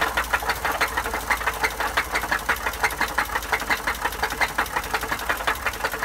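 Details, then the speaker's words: Sharp, hollow, deep knock about three times a second, steady over the idle. This is rod knock, a bad connecting-rod bearing, though crankshaft bearings can make the same low deep knock. "the term rod knock is pretty common and a lot of people have heard it and essentially just means that the connecting rod from the crankshaft of the Piston has a bad bearing"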